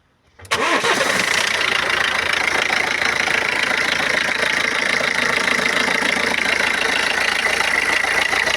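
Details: 2013 BMW 114d diesel starting: catches at once, settles to steady idle with a constant sharp ticking hiss on top; unidentified engine noise, source unclear.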